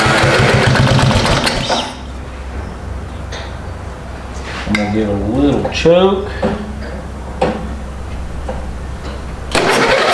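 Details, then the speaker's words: Freebie 12hp replacement single-cylinder engine on a mini hotrod, on choke, runs with a lumpy, stumbling idle; a stuck valve is suspected, and a treatment is dripped in to free the valves. "choke all right you might hear it running there we've been trying to figure out what's going on and I think that motor had a stuck valve"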